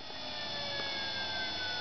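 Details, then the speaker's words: Homemade PWM motor speed control using a solid-state DC-to-DC relay with a junkyard throttle position sensor: steady high-frequency whine over motor hum, pitch shifting with speed; the relay keeps up fine. "Seems to be fine to me. You can hear that high frequency whine, and it speeds"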